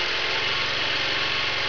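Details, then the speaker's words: Small 750-watt generator running on wood gas from a gasifier, at its normal governed wide-open speed before a 600-watt grinder load test: steady even high-speed buzz with no surging or misses; runs normally. "So that's about wide open as far as, you know, as the generator normally runs."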